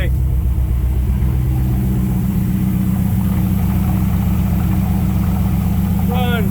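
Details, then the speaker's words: First start of a mismatched engine project after finishing the wiring harness and connecting it to the truck ignition: a lumpy, uneven idle with unsteady pitch. Intake parts are left unplugged, causing major leaks. Rough running from intake vacuum leaks. "sounds like poo poo because we don't have any of the stuff plugged in um for the intake and all that kind of stuff so we got major leaks and whatnot"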